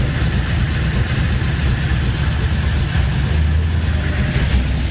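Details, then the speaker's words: Chevrolet C10 LS V8 swap, after new lifters, head gaskets and heads fixed loud tapping: deep, steady idle burble, even pulses, no tapping or knocking; oil pressure about 50. "she finally started sounds so much better i can't even hear it [Music] quiet as can be wow you hear a tiny bit i think that's kind of normal"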